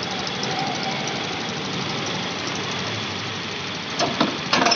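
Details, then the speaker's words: 2021 TVS Jupiter BS6 fuel-injected scooter after lowering high idle via the RPM setting bolt and retightening its nut: low, steady idle with even settled hiss, no hunting or surging; normal controlled idle. "आप सुन सकते हैं आवाज़ इसका कि गाड़ी का RPM एकदम कम हो चुका है।"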